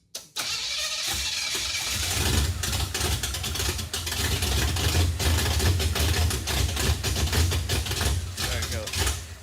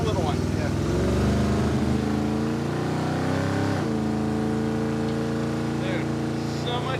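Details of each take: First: Junkyard 1957 Chevy after new rubber fuel lines; steady starter cranking about three turns a second with uneven puffs, never fires; not picking up fuel, suspected empty leaked tank or clogged pickup sock, tank likely rusty. Crank no start. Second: Junkyard 1957 Chevy just fitted with an ATI off-the-counter distributor; revs cleanly and holds an even beat with no stumble, much smoother, before it later shuts off. Normal running.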